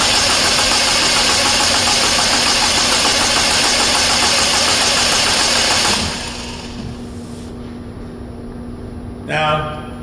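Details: 2009 Saturn Aura 2.4 Ecotec, fuel pump reportedly already replaced: steady, even cranking for about six seconds that never catches. Crank, no start, with no injector pulse on the noid light.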